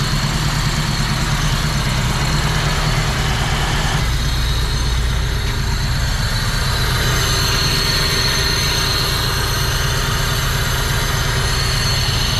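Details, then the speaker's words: Honda D16 VTEC track car with a big cam, carbon fibre intake and new headers, cold start: lumpy, uneven idle with a deep pulse and loud induction suck as the valves open more; the car shakes, running as built. "You can hear from here the intake sucking because those valves are opening more. It's sucking in more air. Very loud induction noise."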